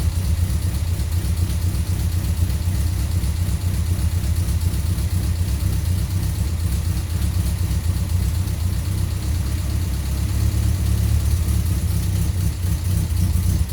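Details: 1.3-litre Toyota Corolla KE55 4K-C engine, cold start: steady low idle rumble with light rapid ticking about four per second; loud valve tappet noise.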